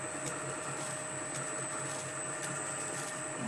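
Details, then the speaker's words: Lorch A11 toolroom lathe belt drive powered through a variable frequency drive at 50 Hz full output, starting slowly and picking up toward 1400 rpm; soft steady whir with light belt flap about once a second, smooth even normal belt drive run. "if we press the green button this will start nice and slow and pick up you can hear the belts there"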